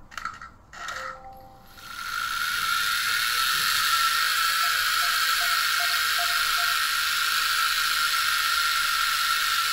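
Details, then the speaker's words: Nintendo Wii U disc drive: steady harsh grinding rasp with fast ticking, about four a second, while the disc spins, giving an invalid-disc error. It persists after hair was cleared from the motor. Yoke arm found misaligned and rubbing over the motor. "yeah it still sounds awful it seemed to have spun longer for some reason but it still sounds awful still invalid disk"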